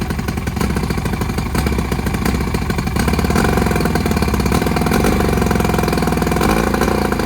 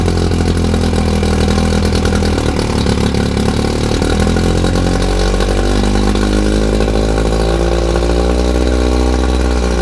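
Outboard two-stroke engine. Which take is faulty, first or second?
first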